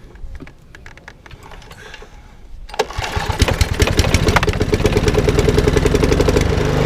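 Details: Lawnmower with RV150 engine, after fixing the microswitch on the throttle cable: a few light clicks, then catches at once and settles into a steady, even beat; starts and runs fine.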